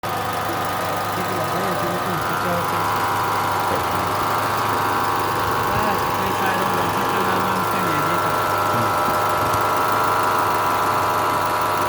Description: Dieses laute Geräusch im Motor wird von der Lichtmaschine erzeugt